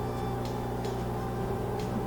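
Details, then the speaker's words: Whirlpool front-load washer with a blinking door-locked light and unresponsive controls, after a power reset: steady low drain-pump hum with a faint whine that never lets up. Drain suspected blocked, leaving the washer flooded. "blocked. It's not able to get rid of the water in there, so it's basically in a flooded state, and it's going to just keep draining. Drain's going to stay active, and it won't let new water in."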